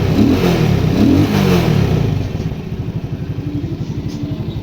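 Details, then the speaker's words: Shineray motorcycle single-cylinder engine after repair, screws refitted: soft, even putter about three beats a second after a brief rev, no rattle or tapping; normal quiet idle, noise fixed. "Vou ligar a chave peguei a chave agora vamos testar bem silenciosa agora"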